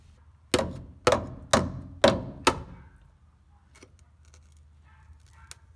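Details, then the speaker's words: 1985 Toyota pickup 4WD frame hammer test under passenger side of cab: five sharp taps about half a second apart sound dull and hollow instead of ringing; frame rust-rotted, with crud inside. "here's my area of concern under the passenger side of the cab that doesn't even sound right it sounds hollow"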